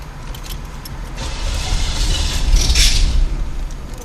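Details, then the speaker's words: Car cranking steadily, about four turns a second, never catching or firing; engine flooded, cranks but will not start. "That's what it's doing that. It's flooded out. I'm recording so you can hear it."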